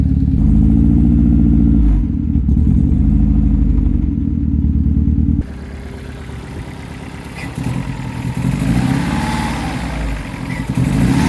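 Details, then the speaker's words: Astra VXR engine on first start after refilling with oil, following oil cooler lines popping off while driving and running on low oil pressure. Heavy, uneven low clatter of about three knocks a second over rough running; internal damage, engine considered dead. "yeah, safe to say it's a bit broken."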